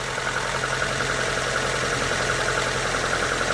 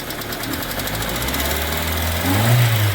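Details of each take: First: Hyundai Getz petrol engine, first cold start after hydraulic lifter replacement: steady, even idle with only a soft light valve tick and no heavy knock. Lifter knock fixed; slight jerking when cold remains. Normal idle. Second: Hyundai Getz petrol engine, not fully warm (about 40°C), idle then raised revs: light metallic hydraulic lifter ticking persists despite oil pressure present (about 4 at idle); lifter on cylinder 4 exhaust side found faulty.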